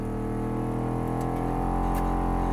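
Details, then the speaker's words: Mitsubishi 3000GT found abandoned, engine just started: constant heavy whooshing roar with a steady hum underneath, no change in speed; cabin blower motor running far too loud. "what is that sounds like an airplane taking off is that the oh wow it's the blower motor"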